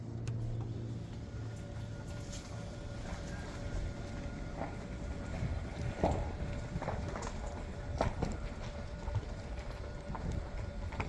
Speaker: Nah jadi gitu ya, nggak ada suaranya ya teman-teman ya. Jadi pertama ngidupin mesin nggak ada suara, pas jalan juga nggak ada suaranya teman-teman.